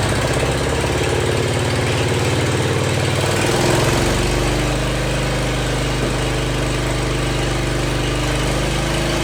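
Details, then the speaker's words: Jacobsen Chief 1200 tractor, cast-iron Kohler 301 single with an aftermarket Chinese carburetor, after sitting 3 years: a choppy thump stumbles and bogs as the throttle comes up, then settles; hesitation on throttle, carburetor then adjusted. "Had a little hesitation on throttle up. I adjusted the carburetor."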